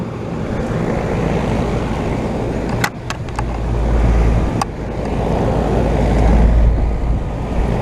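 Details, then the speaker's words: 2012 Bryant Legacy air conditioner outdoor unit after a spring cleaning on an 88°F day. A steady low compressor hum sits under an even fan whoosh with no knocking. It runs normally, with better airflow and the compressor more audible, though it rattles somewhat more. "oh yeah that's much better airflow now too well looks like we we're good we cleaned it you can hear the compressor much more now"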